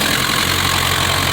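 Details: 1960 Mercedes-Benz 190D diesel, restarted after new battery cables and ground straps and tapping the starter/solenoid with a hammer: even, steady idle clatter with no stumbling or dropouts; running normally again.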